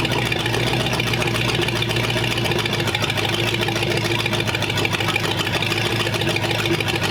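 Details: Old engine after good compression test and first start, idling with water added and 35 lb oil pressure: even, steady idle with constant low drone, no knocks or misses; running smoothly.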